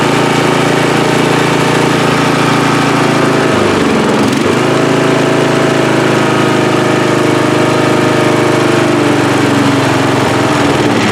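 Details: Free riding mower, engine test after gas tank was drained and fuel added; it was flooding and backfire was feared before starting. Single-cylinder holds steady, even beat with one brief sag near four seconds before settling: normal running.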